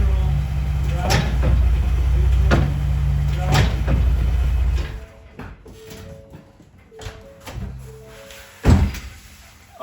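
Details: 2017 Ford Raptor that clunks on deceleration from 4th to 3rd, idling stationary while shifted neutral, drive, reverse: a sharp clunk with each shift, about three over four seconds. Driveline/rear diff suspected, unconfirmed; driveline clunk when shifting gears.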